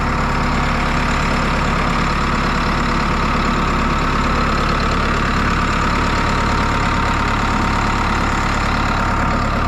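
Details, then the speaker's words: New Holland 6610S tractor, 5.0 L four-cylinder Genesis diesel, after head gasket replacement and bleeding injector lines: steady, even idle with smooth low rumble, no knocks or misses, no radiator bubbles. "But it sounds good, it's running good."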